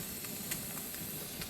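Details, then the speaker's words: Pressure canner venting while canning fresh green beans: steady soft hiss of steam with faint uneven puffs before it comes up to pressure; the counter starts once steam stops escaping, about a minute later. Normal venting. "And as soon as that air pressure stops coming out, or that steam stops coming out, the counter will start. And you'll hear it. It only takes maybe a minute. You'll stop hearing the steam and stop seeing the steam."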